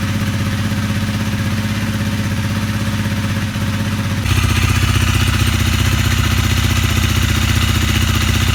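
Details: Honda CRF250L single, 3,851 km, noisy and stalling from a broken piston ring blamed on old gasoline, after piston, ring and cylinder replacement: steady, even idle, slightly louder midway, no knock or rattle; normal idle.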